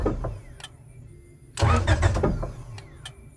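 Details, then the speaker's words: 1996–2000 Honda Prelude/Accord/Civic, no start: main relay and fuse box relays click repeatedly around a short cranking burst but it never catches; the ignition power feed relay was missing, and installing it restored power. "So yeah, everything's still clicking. Everything's still working, but I just couldn't figure it out."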